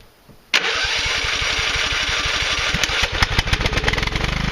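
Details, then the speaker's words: 1997 Husqvarna YTH 150 lawn tractor engine on starter fluid: catches abruptly after cranking and runs ragged and uneven as the spray burns off; carburetor suspected clogged, not confirmed. "hi so the key thing that you couldn't see on that little clip of video was that all of a sudden it started running right well the problem is that"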